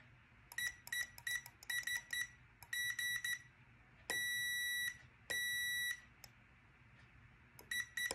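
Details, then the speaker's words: SafeFlight lift detector (stall warning) switch under a multimeter continuity test across common and normally open: short beeps in uneven broken bursts with one longer tone, making contact only when the vane is pressed fully down; intermittent switch contact. "the switch is making contact but only if i press all the way down on the stall vane like right there"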